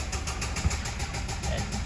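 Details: 2013 Ford F-150 6.2-liter V8 due for general overhaul for engine knocking. Rough idle with sharp regular tick about five times a second over the low rumble; knock somewhere in the bottom end.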